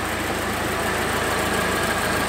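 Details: A VW Voyage with wasted-spark ignition, diagnosed for misfiring with an oscilloscope, idles with an even, steady rhythm and no misses or stumbles after the fault was traced. Normal idle.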